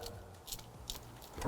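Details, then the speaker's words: Renault 5 GT Turbo, auxiliary smaller fuel tank added for range: irregular light metallic rattles, a few per second, from the loose strap on that backup tank, which is about to fall off. "basically now the strap on that smaller tank wo can you hear"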